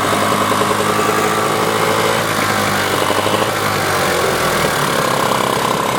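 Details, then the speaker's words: Johnson outboard (from a 1978 25 HP / 1994 15 HP job), idling in gear: a low, lumpy, stumbling uneven beat. The mechanic suspects it is running on one cylinder or has a gummed-up carburetor, and plans a carb clean and a dual-coil check. "But when I shift it, doesn't idle well at all. So she's rough, so I'll clean her up a little bit."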